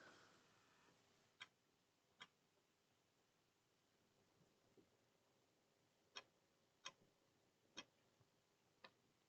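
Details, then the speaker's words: Dead hard drive clicking at first start-up: sharp, isolated clicks at irregular intervals in a quiet room as the device keeps trying to spin up the drive and reboots. "first start that's got a dead hard drive anyone hear that clicking so for starters the dead hard drive in this click click click click click"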